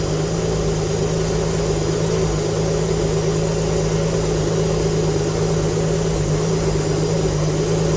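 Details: Alfa Romeo GTV V6 after mechanical restoration, first proper start, some smoke from unburned oil burning off; smooth, even idle with steady low drone, no knocks, misses or rattles; healthy normal idle.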